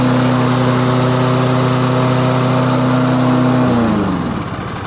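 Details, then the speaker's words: Kohler engine on a backup Lawn-Boy self-propelled mower, unused for two years, running on roughly 10-year-old ethanol-free gas: a steady, even single-cylinder drone at constant pitch that winds down at shutoff; smooth, healthy running. "Man, doesn't that engine sound smoother than normal? Something about non-ethanol gas, guys."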